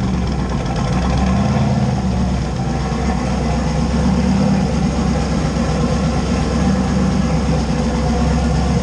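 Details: LS 5.3 V8-swapped Fox-body Mustang, after refueling a bone-dry tank: deep, steady V8 burble at idle with an even beat and no knocks or ticks; sounds healthy.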